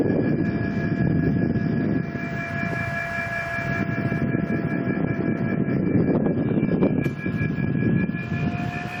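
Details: Mitsubishi Mr. Slim indoor unit running: steady high whine with several fixed tones over rushing airflow hiss, unchanging; owner suspects the motor, cause not confirmed.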